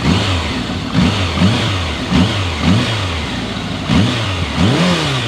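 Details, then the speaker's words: 2000 Kawasaki Voyager XII motorcycle, 67,000 miles, new battery, full tank of fresh gasoline, cold engine with choke available: a low, even note rising and falling with smooth throttle blips, with no knocks or rattles. It sounds healthy. "I mean, listen to that thing. No problems at all. Full tank of fresh gasoline."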